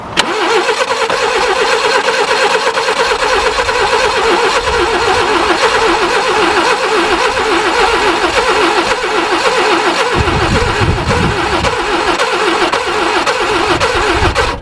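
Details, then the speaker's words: Barn-find Subaru Brumby ute (Brat), previously seized and water-filled, rings likely gunked: long steady crank with throttle held open, engine never catches; cranks no start, plugs suspected fouled beyond cleaning. "come on it's very close and it wants to go i wonder if those plugs are filled yeah the plugs will be [ __ ] open the throttle"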